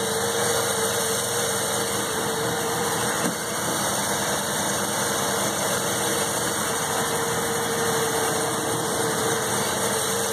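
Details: 1984 Mazda RX-7 12A rotary, cold start after sitting 13 years, 47°F outside: steady, even, smooth buzzy drone with no knocks or misses; normal idle.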